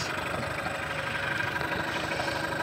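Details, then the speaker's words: Two-stroke Mercury outboard idling after diagnosis and repair: steady, even buzzing with no misses, knocks or hunting, running as it should. "what it's supposed to sound like it's awesome"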